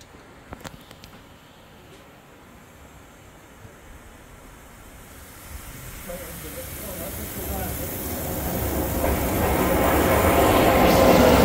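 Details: Museum steam boiler being put to bed at end of day: quiet, then rushing hiss building steadily louder over several seconds; normal boiler blowdown.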